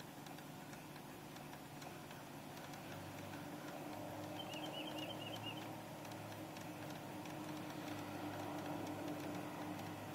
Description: Clicking sound from the passenger foot well of our 2004 Toyota Sienna. Has something to do with the air conditioning they say.